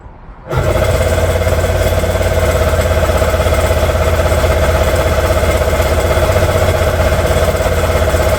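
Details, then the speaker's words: Old jet ski that sat for years, parts cleaned with new gaskets, cranks in a steady, heavy rhythm of about three pulses a second but never fires; turns over hard, owner suspects valve adjustment or timing, unconfirmed. "the last thing I think it could be is it a valve adjustment and the only reason why I say that is because it turns over so hard"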